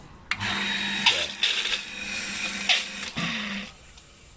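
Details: New Hitachi water pump making loud harsh croaking bursts over a low pump hum; first suspected a broken motor bearing, but the noise comes from a frog trapped inside the pump.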